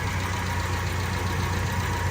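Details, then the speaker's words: 1972 BMW 2000 Neue Klasse 2-litre engine idling, viewed from the other side under the bonnet: smooth, even low idle, steady hum, no knocks, ticks or misses; performing as it should. "As I say, just performing the way you would hope it would."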